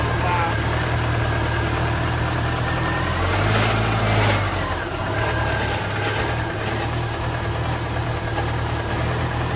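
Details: 2002 Subaru Forester, timing belt previously done, that began sputtering and misfiring on the drive home: a lumpy, uneven idle with stumbling beats and a brief rev. The owner suspects a misfire from the rear driver-side cylinder's spark plug.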